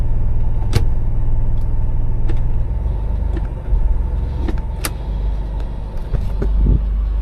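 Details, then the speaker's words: Truck with automatic transmission after cleaning a sticky, gummed-up shifter selector input shaft that caused slipping out of drive; idling, wheels chocked, shifting reverse, neutral, drive, two: soft even engagements, no clunks; transmission engages normally. "While we're up here, now we're going to go ahead and check each of the ranges. So, I'm in reverse, neutral, drive, and only let me go up to two."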